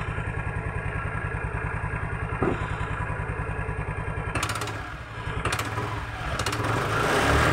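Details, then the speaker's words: Automatic scooter with the CVT cover open: an uneven putter with a light metallic rattle from the rear pulley or clutch area, heard only when the throttle first opens and gone at higher throttle. "nah bunyinya seperti itu ya pas tarik gas awal saat gas tinggi dia Suaranya hilang dan suaranya timbul di area bagian mangkok apa namanya bagian kampas ganda ya ataupun di belakangnya"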